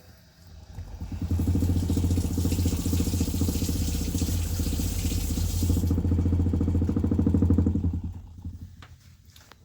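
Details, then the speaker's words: 2017 20ft Airstream Flying Cloud water pump with newly installed IRVWPC2 controller, first run with water on; loud steady droning buzz with fast pulsing rattle because the hoses were pressed against metal, carrying pump vibration into the body. "That was pretty noisy that first little try, but my hoses were up against the metal on the far side there."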